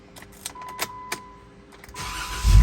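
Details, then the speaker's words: 2016 two-door Jeep Rubicon after replacing starter, relay and starter wire pigtail: key clicks and a chime, brief crank, engine catches on first try into steady idle; previously needed up to 10–12 turns to crank. "first rank that work pretty good for first crank"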